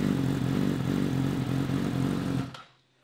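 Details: Yamaha with high mileage and a Yoshimura exhaust, weak battery, engine code stored: even, steady idle with a smooth low pulse and no knocks or rattles before shutting off; the engine sounds healthy.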